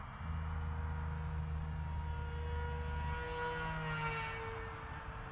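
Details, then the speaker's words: Dal Prop Fold F7 folding propeller on a wing, 3S, a bit above half throttle in flight: deep steady buzz under the motor whine from vibration; prop out of balance, may need dynamic balancing. "Yeah, hear that buzz. That's quite out of balance. Might just need dynamic balance. But certainly has potential. That deep buzz is the vibration."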